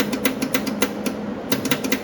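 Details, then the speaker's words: Welder that stopped working: rapid even clicking over a steady low hum with no motor whir. The contactor engages but the wire won't feed, even with the tensioner loosened; the feed isn't turning. Cause not yet found. "You hear the contact we're making, but the wire is not feeding."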